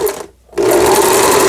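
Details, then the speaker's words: Lion JF1012 sewing machine, about 25 years old, after repair: overlock edge stitch on setting G, previously not working, runs up after a pause to a fast even stitching whir, steady tone, no knocks; healthy. "요게, G번에 놓으면은 오버록 스티치인데, 가장자리 박음질을 해보도록 하겠습니다. 오버 성공적입니다."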